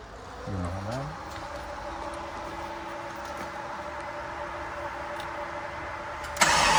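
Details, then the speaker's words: 1989 Jeep Grand Wagoneer with AMC 401 stroker and Sniper EFI swap, started and idling: catches within a second, settles into smooth, even idle with steady low hum, no knocks or misses; normal idle. "So I figured maybe we'll start this up, look at the handheld, listen to this baby run."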